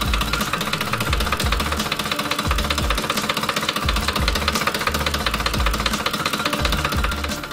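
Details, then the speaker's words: 2010 Ford Expedition 5.4L 3-valve V8, warmed up, idling parked on an incline: harsh uneven metallic rattle at about two to three hits a second that nearly vanishes after a throttle stab; owner ruled out coil packs, cam phasers suspected. "a while and was warmed out and I was parked on an incline and it would make this awful rattling sound and if I stab the throttle just to rev it up then the sound would almost go away immediately and it wouldn't come back right away"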